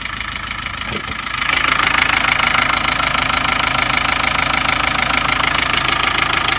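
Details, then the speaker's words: 1986 Land Rover 110 with 200Tdi diesel, cold start after sitting overnight, glow plug light not working; starts up nicely and settles to steady, even diesel clatter at idle with no misses or odd knocks; healthy. "Okay, here we go. Starting. There we go. Starts up nicely."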